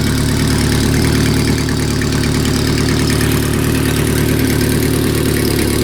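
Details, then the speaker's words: Renault R10 first start after sitting over 20 years, fixed by new points, repaired broken points wire and cleaned carburetor, no coolant in radiator, running cold: steady low burble at idle, even beat, no knocks or misses; possible exhaust gasket leak. "will it start after 20 years yes it will what a great little engine this sounds like it needs a an exhaust gas turd gasket anyway no I'm happy with that"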